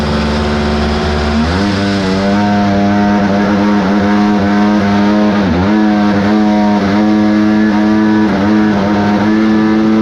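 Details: Kawasaki 1100 triple two-stroke jetski engine in aluminium mini jet boat, rebuilt for more compression, petcock removed: high steady wail dips and stumbles under wide-open throttle with pinging or pre-detonation; breaking up, owner suspects fuel supply or cylinder head squish.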